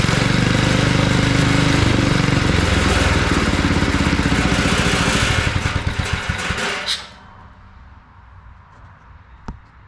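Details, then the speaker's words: Old abandoned garden tiller small engine races with rapid hard chatter, revving only on choke, then sags, sputters and dies after about seven seconds; clogged carburetor needs cleaning. "that carburetor needs to be cleaned up that's a sure sign when you you can rev it up but it only revs up on choke and that's a sign that carburetor is clogged up and it needs to be cleaned up"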